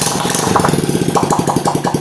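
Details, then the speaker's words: Honda Revo FI that wouldn't start on the starter, needed long kickstarting and stalled off throttle, after lapping the leaking valve and replacing the valve seals and gaskets: steady single-cylinder putter of about twelve even beats a second; smooth, healthy idle. "Yang tadi bunyinya tidak lancar, sekarang lancar sendiri teman-teman. Karena kebocoran klep bagi bagian bawah tadi teman-teman."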